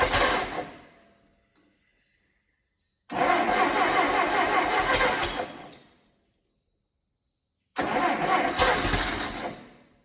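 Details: Allis Chalmers D17 tractor engine, first start attempt in the chassis, choked with throttle fully back: several seconds of steady cranking in three bursts with a few weak catches but no run; drawing fuel, seems to need more throttle.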